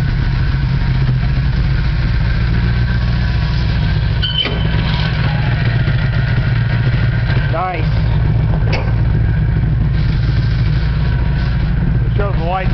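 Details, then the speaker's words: 1987 car started briefly at the shop after battery tending; deep heavy steady idle rumble, much louder than it should be, exhaust fumes bad; cause of loud exhaust not stated. "so i know that was crappy sound and this car is real loud"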